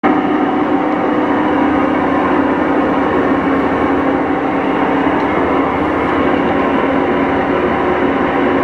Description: Whirlpool Cabrio Clothes Washer with bad bearings. Prior to installing new bearing/seal kit.